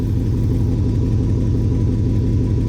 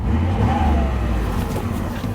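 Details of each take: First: 2006 Chevy Impala SS, LS4 V8, factory exhaust: deep even V8 burble with steady low rumble, no misses, ticks or knocks; healthy smooth exhaust note. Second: 2006 Chevy Impala SS with LS4 V8, battery light on, leaking valve cover gaskets; a faint wavering whine over the steady engine hum from the power steering pump, possibly low fluid; fluid level to be checked.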